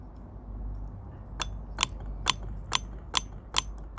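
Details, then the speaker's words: Used A/C compressor from a Land Rover Freelander TD4 Sport, bench-checked with its clutch energized and spun by hand: sharp, even metallic clicks about twice a second; the compressor clutch is working. "if you touch the negative there and you watch you can hear it and see let's just get that back on there spin it and it looks that means the clutch is working in the AC pump"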